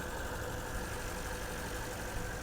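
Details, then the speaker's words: 2012 Porsche Panamera at auction, heard from outside: steady idle under a loud constant hiss with a slightly uneven low rumble, running a little rough. Possible vacuum leak suspected. "There is a sound coming from here. some kind of a vacuum leak or something, it sounds like. I mean, it's running a little bit rough,"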